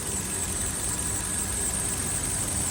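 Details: 2012 Hyundai Accent running: rough idle with an uneven low knock and vibration under the engine drone; knocking and shaking, cause not clear.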